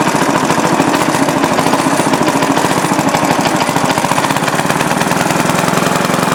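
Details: Restored rare Briggs & Stratton NR6 engine with 6:1 gear reduction, running on a temporary gravity-feed tank after restoration; crisp, even single-cylinder popping at a steady pace with no misses or knocks, running normally.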